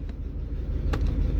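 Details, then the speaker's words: 2003 Trailblazer brought in for crank-no-start, no codes: low idle with uneven, lumpy pulse and skipping exhaust beat; misfire moved with swapped coils, so ignition coils 1 and 5 are failing and were replaced, clogged injectors also cleaned. "Como le decía, hice unos cambios para verificar cuál es la bobina que está fallando. Está fallando la 1 y está fallando la 5."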